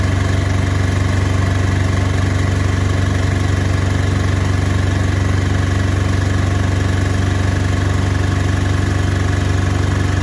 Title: Beko UNBALANCED & NOISY final spin